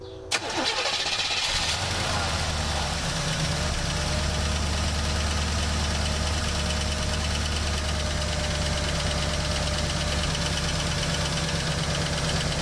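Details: 1967 Buick GS340, first start after the water pump replacement, cooling-system flush and points replacement: it cranks briefly, catches at once and settles into a smooth, even idle. Oil pressure is around 30 and there is less smoke; normal running.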